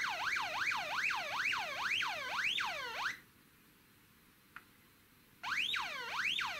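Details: Early-1970s 6A/12860 stall warning tone generator from an Avro Shackleton, bench-tested as the angle of attack increases: a repeating swooping warble, then a relay click and a louder tone above the stall angle. Normal stall warning tone.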